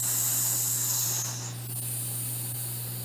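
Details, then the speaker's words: Pressure canner of potatoes after cooking, turned off with the gauge at zero; regulator weight removed to let out residual steam. Soft, steady hiss tapering over a low hum. Normal residual steam release. "so now we can take off the regulator and get a little bit of steam out"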